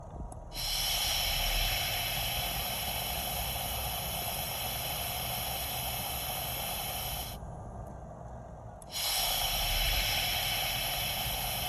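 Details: Chevy brake booster leak: loud airy hiss comes in each time the brake pedal is pressed.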